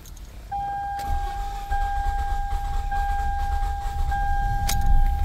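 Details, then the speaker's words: 2008 Toyota Camry (2009 per description), manual, check engine light on, known to stall unless the gas is pressed: warning chime over long, labored cranking that finally catches. A hard start, suspected from a bad engine. "start it up as you can see cranks it will not start let's do it again see what happened"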